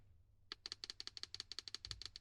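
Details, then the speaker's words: GENIUS GTC8E 2025 RC car differential during assembly: rapid light clacking, about a dozen ticks a second, as the diff is pushed and rocked, the gear teeth clacking from excessive lateral play (gear backlash). "on entend que ça claque c'est les dents, il y a du jeu."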